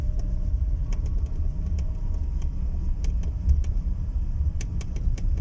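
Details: Renault Symbol driven over bumps: irregular sharp ticks and creaks come and go over steady low road rumble; interior squeak, not from the roof, source still unknown.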